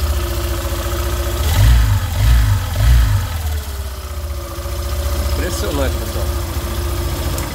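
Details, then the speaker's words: Fazer 150 motorcycle idling and revving with a faint steady buzzing whine over the engine. This is the stator's magnetic field humming, an electrical noise and not a mechanical fault. "é aqui ó estatura é o campo magnético aqui que faz esse barulho aqui"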